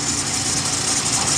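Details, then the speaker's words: Dodge Caravan 3.6L Pentastar, first start after oil cooler housing replacement, idling with coolant cap off to burp air: quiet, steady idle under airy hiss, no ticks, knocks or surging; normal idle. "I'm going to fire it up. It all sounds right. I'm just going to let it run for a minute here with the cap off to see if she burps herself."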